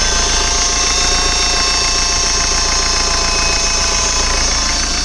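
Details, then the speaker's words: BMW F10 518d B47 diesel with failed turbo, actuator plugged in, at idle without revving; harsh high hiss and chatter at three to four pulses a second, boost leak turbo noise before turbo replacement. "And that's the noise with the actuator plugged in. It sounds absolutely horrible, and that's without even revving it."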